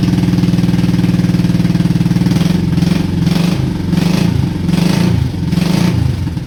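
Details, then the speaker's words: Honda Shadow V-twin motorcycle, 20k miles on the same oil, parked four years: lopes unevenly at fast idle with lumpy surging beats and a backfire; rough running, owner suspects sticking valves from no oil changes. "Running on one cylinder? Yeah, that sounds awesome. Let me go over this thing real quick."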